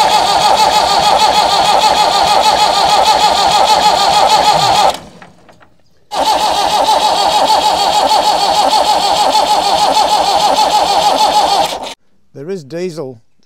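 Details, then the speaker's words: Massey Ferguson 178 diesel in a 50-year-old cane haul-out tractor, sitting for years, cranked at wide-open throttle: two long bursts of steady cranking, about three compression beats a second, never firing. Fuel only weakly reaching injectors; owner suspects weak lift pump, partially blocked filter or injector pump fault. "just starting to come through at the injectors but it's pretty weak even under Full Throttle there's not a lot coming through so I don't know whether whether the lift pump is a bit weak on it or whether one of one of those fuel filters could be partially blocked"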